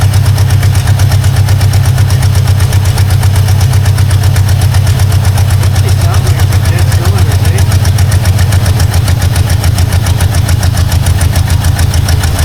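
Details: Long-abandoned 1952 Ford Crestline idles in a deep uneven lope with dropped beats; owner suspects a bigger vacuum leak, possibly the wiper line; rough idle.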